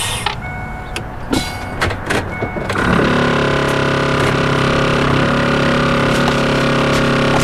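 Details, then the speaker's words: After a no-start: few clicks and a short buzz as it cranks and catches, then even idle; normal ABS module self-test noise. "all right that was that sound this oh it's the abs module of course that's what they sound like okay um yeah that was the abs module"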